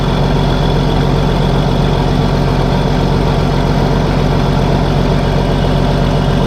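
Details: Case 1450B dozer with a freshly rebuilt diesel engine, just started after reassembly: low, even idle with a steady pulse and no knocking, ticking or missing. The mechanical oil pressure gauge is climbing toward 40 psi, and the idle is healthy.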